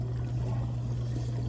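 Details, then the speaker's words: Whirlpool dishwasher running after its cracked washer arm was replaced; the old arm caused a corner leak every cycle. Steady low pump hum with even water swishing as the arm turns, no dripping; normal wash cycle with the leak fixed. "So this dishwasher has a new washer arm in it now, and it's running, and you can hear that the arm's going around,"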